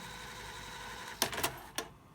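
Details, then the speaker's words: Sanyo VTC6500 VCR with E-750 cassette loaded: quiet even mechanical whir, then a few sharp clicks as the transport stops; normal rewind. "so we've got the cassette back in and rewind is working well"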